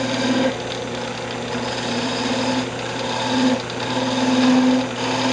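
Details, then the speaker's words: Lathe spindle turning a thin wooden magic wand: steady high whir with buzzing rattle coming and going as the tool skips along; thin spindle flexing and chattering. "what it does when it bounces is I think you can hear it too but it just kind of Skips along there"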